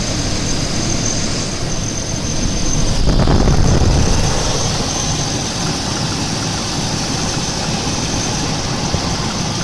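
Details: Chevy 350 V8 in a truck, at startup after sitting overnight, cold or hot weather: low steady rumble with regular knock about three to four per second; cause unknown.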